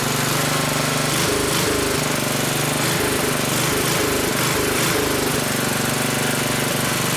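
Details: Old 1960s Briggs and Stratton single-cylinder, about 10 hp, Hale fire pump unit, freshly tuned, cleaned plug, fresh oil, some old gas left: steady quick even fast idle, no knocks or misses; runs normally, a bit smoky, owner suspects worn rings.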